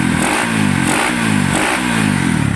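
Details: Engine after overhaul and block replacement, sound check: loud, crisp single blipping up and down in even pulses, no knocking or rattle underneath; engine sounds healthy.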